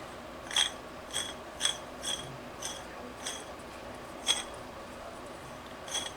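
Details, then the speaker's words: Saito FA-130T DP model engine during disassembly, crankshaft turned slowly by hand: gritty, scratchy clicks in uneven bursts instead of smooth spinning; a worn crankshaft bearing, owner thinks possibly the rear one. "I don't know which one of those bearings sounds like complete crap, but now it's almost kind of sounding like the rear one."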